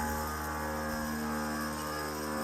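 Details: Compressor on an NHRA dragster filling the tank during an off-season rebuild; steady, even hum at constant pitch with no knocking or rattling, running normally.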